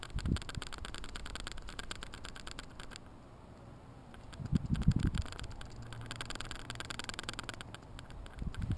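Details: GoPro HD Hero2, bought new in January 2012: a light, irregular ticking rattle comes and goes as the camera vibrates. The owner believes the internal mic is loose, but this is not confirmed.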